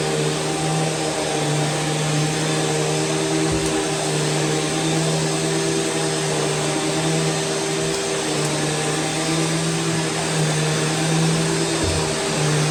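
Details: Curbside Rainbow E Series vacuum with a bad internal gasket, reassembled, running with water in the basin: a steady, even roar with a constant low hum and no surging, rattling or scraping; running normally.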